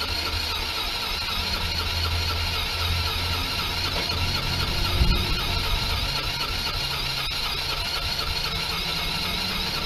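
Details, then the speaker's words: PGO T-Rex 150 scooter, about 2012, after cleaning fully blocked carburetor jets: small single buzzing at a fairly steady idle with a bright, raspy exhaust note once the idle was adjusted; still needs a tune-up. "all right let's start it up pretty good um just needed to mess with the idle there to get it to settle down"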